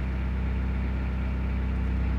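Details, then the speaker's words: 2000 Toyota Celica GT 1.8L idling smoothly in drive after fixing a severe misfire (P0302/P0300) from a dead coil on cylinder 2 and weak spark on cylinder 3; steady, even beat, misfire counts now zero. "going to go ahead and put in drive now as you can see we no longer have that severe misfire number two and three show zeros"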